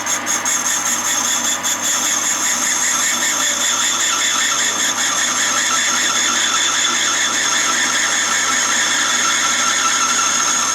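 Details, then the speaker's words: Valve refacing on a 1.9 TDI AXB cylinder head from a VW T5 Transporter at a machine shop: valve held in a pneumatic self-centring chuck and ground at 45 degrees by a stone; steady, consistent high grinding hiss of a very hard valve cutting cleanly, normal. "very hard valve that is. You can tell by the sound it's very hard. You get a pretty consistent noise, and then it's..."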